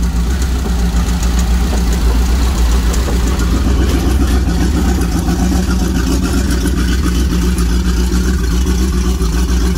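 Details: 1987 Powerplay XLT-185 boat, Mercruiser 350 V8 converted from Rochester Quadrajet to Holley Sniper EFI, new warmer thermostat, fuel pressure about 50 to 53 psi at idle: steady, even low rumble with no knocks, misses or surging; running cleanly.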